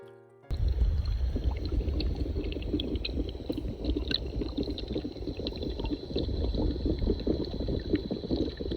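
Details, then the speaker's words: Pool leak detection with a hydrophone at a return fitting: continuous low rushing hiss with gurgling churn that never lets up; water escaping under pressure from a broken return line. "We went around with the hydrophone first, and Isaiah is picking up the leak right at that return."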